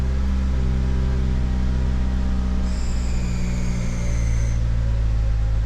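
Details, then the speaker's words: 2009 Ford Fusion 2.3L, idling with a low, uneven lope and misfire, kept running with throttle, smelly exhaust, smoother at higher rpm; MAP and O2 codes were traced to a vacuum leak from a faulty intake manifold. "the heck was that noise look like it's got a misfire oh boy trying to keep it running with the throttle and there we [Music] go"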